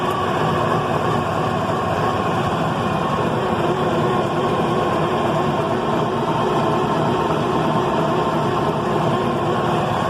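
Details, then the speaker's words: Detroit 6V92 two-stroke diesel that sat at least 10 years, fed from a 5-gallon bypass tank with freshly primed filters: heavy, even starter churning for ten seconds, never catching despite a little white smoke; no-start, cause unknown. "well that's the best so far but i don't want to overdo the don't want to burn out the starter so we'll try again in a few minutes"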